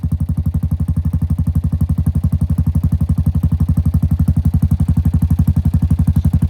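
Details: 2017 Honda Foreman Rubicon 500 IRS 4x4 single-cylinder ATV after a top-end rebuild with OEM rings and valve adjustment, following submersion; rapid, very even thumping at a steady idle, no knocks or ticking; normal idle.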